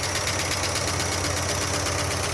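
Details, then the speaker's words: 1976 Dodge D100 Club Cab Adventurer, parked 13 years, first start: fast, even ticking about nine per second over a rough idle, a loud clattering top end; owner suspects a bent pushrod or bad lifters not pumping up. "Wow, that sounds terrible. Lots of valve train noise. Wow."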